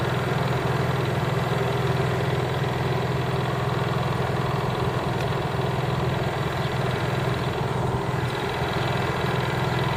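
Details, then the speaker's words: Honda EU3000is inverter generator (new) idling in eco mode with no load; soft, even hum at low constant speed with no surging, misfires or rattles, smooth healthy idle. "That's in eco mode with no load. Crazy quiet."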